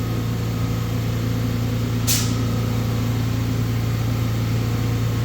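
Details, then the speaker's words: Stratasys Fortus 400mc 3D printer at boot-up, running auto home of XYZ gantry: steady low electrical hum with one brief tick as the head moves off; motors smooth and even, normal gantry homing. "Auto home home XYZ unlock Hood door hit enter homing XYZ Gantry please wait"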